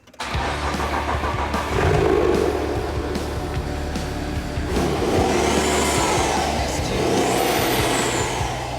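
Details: Nissan GU Patrol with BMW N57 diesel conversion, after removing a faulty resistor and reconnecting transmission, ECU and shifter: starter cranks briefly, diesel catches and settles to a steady, even idle, no knocks or misses; normal start.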